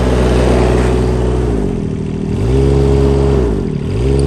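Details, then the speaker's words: 2016 Bobcat E20 mini excavator, Kubota diesel: smooth even hum revved up and eased back down twice, very quiet, no knocks or ticks; normal idle and rev, runs up fine. "Cylinder Kubota diesel that runs the unit. As you can hear, it's very quiet. No knocks or ticks."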